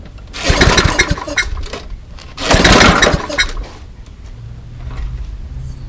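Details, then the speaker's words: Old Toro Recycler 20017 mower with a Tecumseh engine and a makeshift test gasket. Two rattling pull-start attempts about two seconds apart, and the engine stays dead. The owner suspects the gasket (leak or intake blockage); the cylinder is rough. "that is probably why it's not starting the makeshift gasket is you this cylinder is kind of finished like that's really rough"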